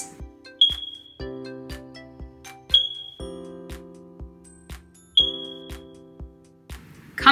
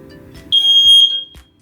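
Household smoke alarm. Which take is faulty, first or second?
first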